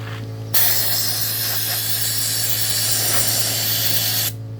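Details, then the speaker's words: Mastercraft media blaster, hopper half-filled with abrasive granules, first turn-on to take rust and paint off: steady loud hiss of air and grit starts abruptly and holds even for four seconds. Spraying normally and quickly. "Let's turn it on, see how it works. Works pretty damn good, pretty quick."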